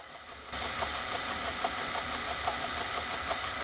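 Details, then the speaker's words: 1982 Sony SLO-420 industrial Betamax playing at one-fifth slow motion: quiet mechanical whir with a faint, even tick about every 0.8 seconds; slow-motion tape transport running normally. "you can also do one fifth which is a slow motion you can hear it slowly"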